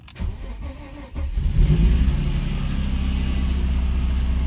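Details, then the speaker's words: Mercedes W140 that stalled and then refused to start, no start permission, mirror lamps blinking: after fitting a replacement module, starter whirrs, engine catches and settles to a steady, smooth idle; lamps still blink. "но мотор запустился Да мотор запускается при этом тоже лампочки моргают"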